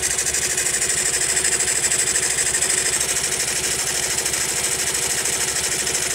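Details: Honda Monkey small single idling after a tappet adjustment: busy, rattly clatter roughly three beats a second over a steady idle; the abnormal engine noise persists, source undetermined.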